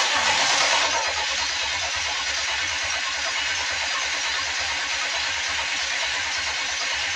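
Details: Detroit Diesel engine in a lawn mower project, first start attempt: fast, steady cranking with a harsh hiss that never catches; owner suspects the throttle is not opened far enough off its stop. Not confirmed.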